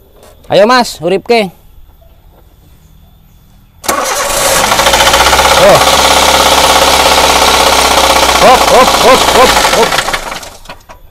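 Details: Daihatsu Xenia petrol engine, damaged due to oil, fires up and runs rough with a harsh, uneven knocking under the idle; suspected rod bearing knock from oil starvation.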